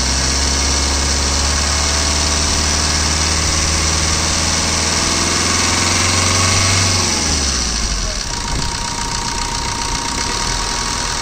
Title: Swift VDI, 2014, White color, Engine noise.